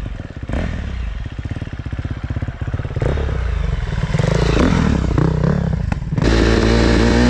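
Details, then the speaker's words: Fuel-injected motorcycle: uneven, choppy, surging running, sluggish and reluctant to rev when throttle opened; owner says injection needs adjusting. "ale dziwnie na obroty wchodziłem w ogóle nie wchodzi na obroty a dziwnie chodzi tak nie tak faluje"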